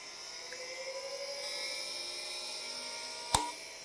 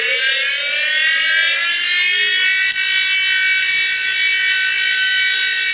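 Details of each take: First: Old CDC SCSI hard drive on a SCSI card, spinning up only once the SCSI BIOS loads: several thin whines climb smoothly like a rocket, ending in a sharp click; a healthy drive coming up to speed. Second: Old SCSI hard drive, already tested bad, at power-up: loud harsh high whine climbing in pitch, jet-engine-like rumbling; loud whine on spin-up.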